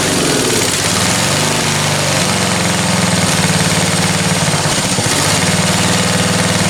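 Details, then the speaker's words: Free roadside-find ride-on lawn tractor, small single-cylinder engine chugging fast and rough, pitch stepping up and sagging; runs only on choke, idle needs big adjustment; owner thinks it's lean and will adjust the mixture. "and then it's not running without choke so if it's not running without choke if it needs to be choked it means that i need to reduce the amount of air because it's not getting enough fuel"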